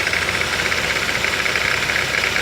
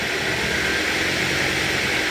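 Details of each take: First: 2008 Ford Focus 2.0 16V Duratec automatic at idle, shifted from P into gear: loud idle with an irregular knock about twice a second under load. The cause is unknown; the timing chain or something external is suspected. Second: 2008 Ford Focus 2.0 16V Duratec automatic, after the repair: even steady engine hum in gear with no knock or tapping, gear engages without noise; normal running in gear.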